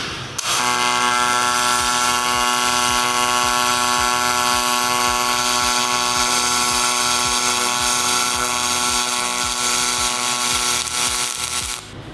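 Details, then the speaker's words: Miller spool gun on a Multimatic 255, pulsed MIG on aluminum: a steady buzzing hum with a fast, even pulse of about four per second and no crackle or spatter. A clean, normal pulsed weld. "that might be one of the most enjoyable wire feed welding experiences I've ever had there's no spatter anywhere there's no spatter that's the big thing"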